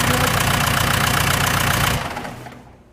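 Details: Case 1840 skid steer Cummins 4BT, first start after a rebuild; the original broke the #4 rod, holed the block, broke the camshaft and bent valves. Even, steady diesel clatter, then a clean spin-down at shutoff. Normal diesel idle.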